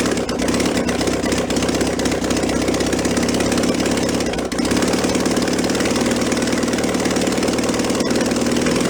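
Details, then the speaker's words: 1966 VW bus air-cooled flat-four, removed engine from a barn, running on a carburetor with automatic choke and primed through the float bowl. Fast, busy idle that never settles. Throttle is sticking and not returning. "probably gonna play with that a little bit I don't need to or not but let's a little bit the car was kind of sticking to it's not return it step it up it's got a stepper on"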